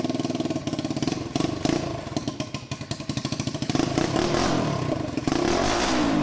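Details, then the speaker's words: 150cc Yerf Dog shifter kart on its first test drive, gearing too tall: small rattles through revs and gear changes, with irregular popping and spitting on the overrun; the engine runs super lean, backfires a lot and lacks power. "uh two the engine is not running right it's running super lean uh so it's backfiring a ton and doesn't have that much power"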